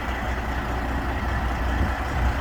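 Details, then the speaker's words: Freightliner semi truck prepared for 50-tonne loads, after repair work including new differentials and clutch, idles with a deep, low diesel rumble. It stays steady and even with no knocks or misses; the engine runs very clean. "очень чисто работает очень"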